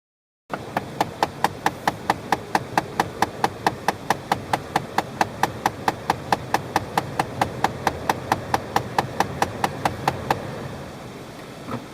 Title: CALHOUN TICKING NOISE